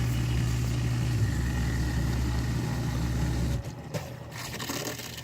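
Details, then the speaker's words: 8-year-old Miele Diamante dishwasher with toe-kick and front access panel removed: steady low hum and faint rushing water as it fills, then quieter hiss; normal fill, before the loud grinding circulation noise. "so far all the sounds that you hear are normal obviously it's a little bit louder since I remove the access door here which does have some noise insulation on it"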